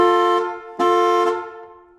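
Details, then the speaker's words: 1970 Dodge Challenger with a slant six, rat-infested: the horn blares twice on its own the moment a battery is hooked up for a smoke test. Each steady two-tone blast fades out with no button pressed, as rat-damaged wiring shorts the horn circuit. "Whoa, the horn's hot. See if we can get Dad's attention."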